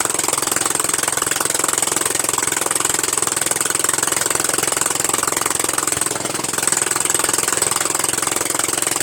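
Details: Murray Widebody LT 14.5 42" lawn tractor idling steadily just after its first start on fresh gas: a fast, raw crackling bark, harsh and very loud. The muffler is off and needs reinstalling.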